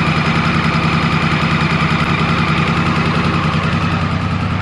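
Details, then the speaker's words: 1994 Triumph Sprint 900 triple after carburettor clean and pilot mixture set with a Gunson Colortune on all three cylinders: steady, even idle with a smooth low beat, no exhaust popping or stumbles; running clean and balanced. "as you can hear it's the the engine just sounds smoother you're not getting popping from the exhaust anymore so i'm happy that the the carburetors are doing um what they need to do"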